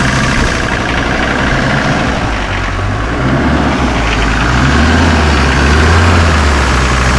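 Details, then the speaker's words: 1981 Mercedes 300GD diesel with glow plugs, revived after 6 years parked, starts first try and idles low with steady, even clatter and no misses or knocks. Judged perfect, sounding glorious: normal idle. "Mirad qué joya, ¿eh? ¿Va bien o no va bien? Es que suena a glorias, mira. Pero perfecto."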